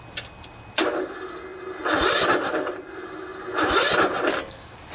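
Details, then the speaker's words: 16 HP Briggs & Stratton single-cylinder OHV riding mower engine, about 40°F, new fully charged battery; starter grinds in slow laboured bursts every two seconds without catching; hard cranking from too much compression, valves need adjusting (tight valve lash). "so when you have a situation like that uh nine times out of 10 if you've made sure that the battery was good and and that the solenoid was good and your starter motor was good um nine times out of 10 the problem is that the valves need to be adjusted"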